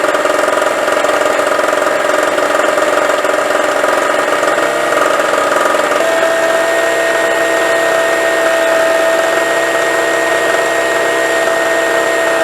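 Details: Harbor Freight Storm Cat 2-cycle generator (700/900 W), first start, new, burning off excess oil: steady, even high-pitched buzz at constant speed, no hunting or misfires; idling normally without load.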